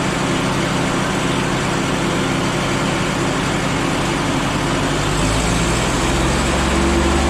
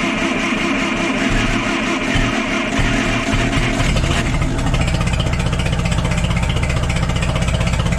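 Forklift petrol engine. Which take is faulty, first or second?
second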